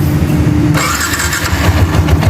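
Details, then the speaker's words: Yamaha Exciter 150 idling after replacing the faulty cam chain tensioner that caused clacking; now an even low putter with no top-end clacking, quiet normal idle. "ครับเงียบเลยนะครับ"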